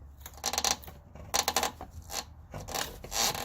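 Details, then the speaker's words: 2016 Toyota Corolla base, 73,000 miles: dry raspy creaks about once a second as lower control arm is pulled down by hand, from rear bushing of front lower control arm; fix is greasing bushing with brake caliper grease. "pull this down do that coming from you have two connections well three you got the front one the rear one and where it connects to the ball joint and that creaking noise is exactly what I'm hearing it's coming from right inside there"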